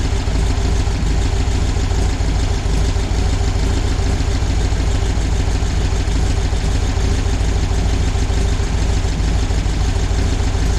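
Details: VW air-cooled flat-four 1968cc motor in a bus, idling after generator polarized and brushes checked; generator light off, 12.6 V at idle, 14 V revved: steady even low rumble, no misses, knocks or surging; normal idle.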